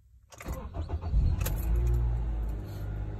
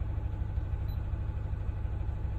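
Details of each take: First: Car with a shaking engine and check-engine light, after new ignition coils: catches after a short crank and settles into a steady, even idle with no misfire or shake, check-engine light gone; normal idle. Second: Car with check engine light: uneven lumpy idle with rocking low pulse, engine shaking; misfire from a failed ignition coil, coil and spark plug replaced DIY.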